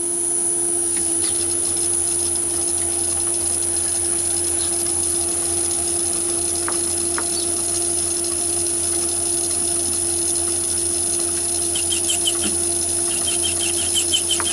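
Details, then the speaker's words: Myford ML7 lathe turning with a 125 mm chuck at about 50-60 thou cut: constant hum, thin high whine and faint rattly ticks, chatter from the larger chuck, probably from radial free-play overhang and spindle-thread movement. "and you can hear the vibration on that car that's about 50 to 60 cell car"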